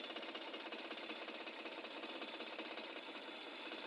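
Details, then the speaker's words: Suzuki K6A petrol engine idling with a busy, uneven clatter and shaking: misfire from dead cylinder 2, whose spark plug is soaked with oil. "as you can see the sound of this engine is not okay this is firing engine is not steing well as you can see it's shaking engine is shaking"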